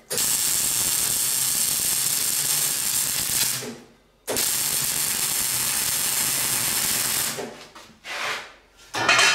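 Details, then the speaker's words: MIG welding a Classic Mini roll-over jig, wire speed set at 5 instead of about 3.5: a harsh, steady crackling arc in long runs with brief breaks shows the wire feed speed is too high. "The speed on that's a little bit too high. It's on 5 and it should be about 3.5."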